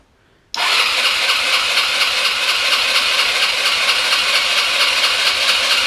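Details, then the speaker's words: GY6 150cc scooter bought non-running, battery dead so run on charger, key on with brake held: fast even high-pitched starter whirr with steady ticking, engine cranks but never fires; fuel delivery suspected (filter looks empty, possible vacuum leak), not confirmed. "she sounded like she wanted to go"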